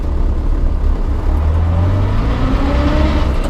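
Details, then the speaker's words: Morris Minor in first gear: under a heavy low engine drone, a thin whine climbs with road speed. The worn gearbox gives a very noisy first gear, though it doesn't jump out of gear. "Lots of people pointed out, and rightly so, I've got a very noisy first gear. I know. The gearbox is worn."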